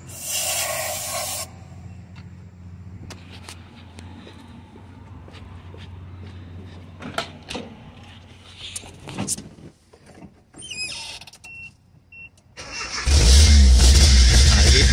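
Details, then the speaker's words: Nissan Hardbody Z24 eight-plug pickup that won't start, fuel pump replaced a week earlier and no fuel reaching the top: carburetor cleaner hisses in, then engine catches and runs loudly. Fuel delivery fault. "vamos a ver si va a arrancar o no va a arrancar trae hasta una llave que no es y no arranca"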